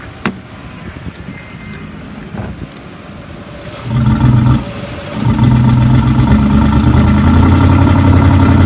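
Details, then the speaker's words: 2009 Ford F-250 XL, 55,000 miles, long-sitting with dead battery and jump-started: rough uneven V8 idle with steady misfire, dipstick shaking, revs won't exceed 1,500 rpm however hard accelerated, little explosions audible. "and it did start right up but it's had a steady misfire the whole time it doesn't rev up well this one should definitely be towed out of here"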